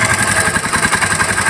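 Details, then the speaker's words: 1978 Honda CD70 70cc points-ignition bike after narrowing point gap to cure missing: steady even single-cylinder idle with rapid pulse, no misses or stumbles; healthy idle, missing fixed. "य देख slow अभी सही अब missing check करते इसकी मि भी नहीं कर रही और वाइब्रेशन कर रही है"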